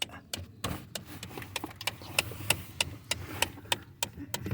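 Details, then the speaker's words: 2017 Ford Expedition: sharp, fairly regular ticks about three a second whenever a door is opened; owner attributes it to the HVAC heater blend door actuator, replacement part ordered but not yet fitted. "okay so this is my 2017 Ford Expedition and I finally found the cause of the ticking sound every time you open the door it's the AC um heater blend door actuator"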